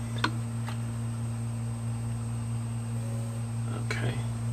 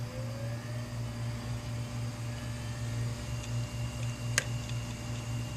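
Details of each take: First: 500GB hard drive powered up on an imager after replacement heads were installed, following frost crystallization on the platter from freezing: low steady platter hum with faint ticks and no clicking or grinding. The heads took, normal spin-up. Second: 500GB hard drive, powered up right after 18 hours in a freezer, spins up with a steady whine, then gives sharp isolated head clicks about every 1.7 seconds; it had worked before freezing.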